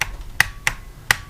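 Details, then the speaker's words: Brand-new outboard starter solenoid from a Force 120 hp motor, bench tested: sharp single clicks, four or five in a second and a half, each one crisp; the solenoid is pulling in properly. "it's definitely clicking."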